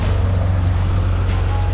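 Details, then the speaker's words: 1987 Pontiac Fiero at idle after AC repair and recharge with new refrigerant (originally R12), AC on high, windows closed, fan on radiator, ten minutes: steady idle hum, compressor smooth, no knocks or squeals; still blowing cold. "I have the a/c running I have all the windows closed the a/c is on high it's still cold it's been here for about ten minutes"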